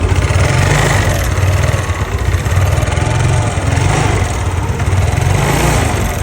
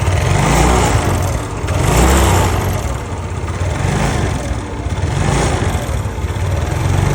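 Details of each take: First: Yamaha Nouvo Z scooter after restoration with bore-up, CVT reassembly and a fully cleaned carburetor: the single cylinder runs with a steady, even putter, revs swelling and settling smoothly with no ticking or rattle. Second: Yamaha Nouvo Z scooter engine, stock carburetor, before restoration and bore-up. It runs with a loose, uneven rattling tick over a low drone, swelling and fading with the revs, from a noisy, worn top end.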